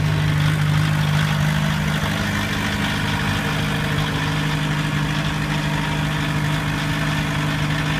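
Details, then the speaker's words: 1991 VW Jetta turbo diesel with new battery and starter, head retorqued, idling after a hard cold start and slight rev to engage alternator: steady, even diesel clatter, low constant drone, no misses or knocks; normal diesel idle. "so I rev it up just a little bit then the alternator kicks on and everything comes on through"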